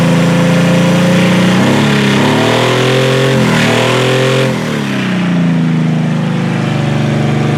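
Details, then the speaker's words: Demolition-derby H-body car after a derby with a crushed firewall: engine catches and settles at a fast, steady idle well above normal; not the throttle, owner suspects a vacuum line, unconfirmed. "Well, she fires up, but she's definitely still at a very high idle. But it's not the throttle, so I'm wondering if it's a vacuum line or something."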